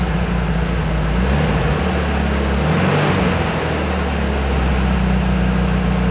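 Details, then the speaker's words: 1968 VW Beetle air-cooled flat-four at idle during a points tune-up: low, lumpy rumble with a slightly uneven beat that almost sounds like a misfire but is normal; owner attributes it mainly to the muffler. "That sound that these VWs make, it sounds almost like a misfire. You know, that little rumble with engine. It, you know, basically makes them sound like a VW."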